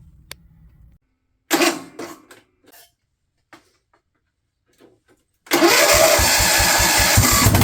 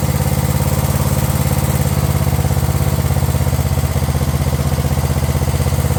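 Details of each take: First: Craftsman LT1000 riding mower/tractor, cranked with a previously rejected replacement starter, catches after a few clanks and runs with a coarse, slightly uneven thump; the carb's fuel solenoid wire was found cut off, causing the rough running. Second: Craftsman LT1000 riding mower/tractor idling steady and even with a regular low thump, no misses or surging, after swapping the aftermarket carb for a previously rebuilt carb; it now runs properly.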